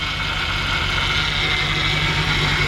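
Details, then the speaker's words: 1954 Ford F100 at idle with the hood open; steady high whine of constant pitch over an even idle, owner thinks probably the power steering (possibly the fan), suggesting a flush and fill. "So you hear that little whine in there, and I'm not so sure that that might not be the, yeah, I think it's probably the power steering."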